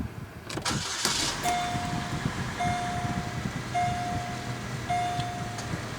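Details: Pontiac G6 2.4 started right after an oil change and oil-life reset; brief crank, catches at once, steady even idle under periodic dash chime; oil pressure confirmed, normal start.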